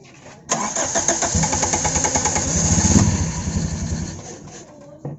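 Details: Toyota AE92 with carbureted 4A-FE engine, hard-starting problem under carburetor tuning: starter grinds steadily for about four seconds at roughly three pulses a second before it barely catches. Hard starting.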